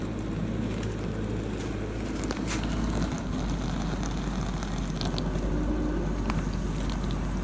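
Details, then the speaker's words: Samsung DW80R5060US dishwasher during a normal wash cycle: an even, steady low rush of water through the spinning spray arms, quiet spray, pump a little noisy, with no knocking, grinding or squeal. "you can hear how quiet the spray was including you can hear the water spraying through including spray arms or spraying which is theirs they're spinning to make sure every dishes are absolutely clean"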